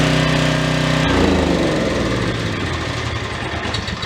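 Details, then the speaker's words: Troy-Bilt generator stored unused for over 10 years, first start: small petrol engine fires and settles into a loud, steady, even beat with no knocks or misses; runs fine and powers an air compressor. "Okay, that was loud. Guess what? What? We have power."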